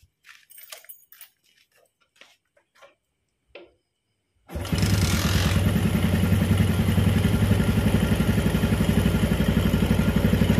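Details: Old Yamaha Jupiter MX after an engine overhaul (new cylinder block set, timing chain, clutch, water pump parts, conrod, crank bearings, radiator repair, coolant, oil); a few clicks, then it fires into a smooth, even idle with no knocks or rattles.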